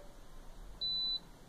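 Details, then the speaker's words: Electrolux LTS12 washer, eight years old, loaded with clothes and blankets, which previously shut off during the soak stage, being switched back on: one short clean high-pitched beep with automatic light blinking; normal start-up tone. "ali você venha a lusinha automático piscando certo e isso é normal"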